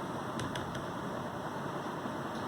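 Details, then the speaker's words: Lenovo laptop, fairly new, after service of fan and heat sink for overheating and crackling fan noise at startup; now soft even whir with faint steady tone, no crackle or scraping; fan running smoothly and quietly; normal quiet fan. "देखो laptop को बिल्कुल silence हो गया, कोई sound नहीं है, उसकी fan बिल्कुल स्मूथ मूव कर रहा है, ठीक है जी।"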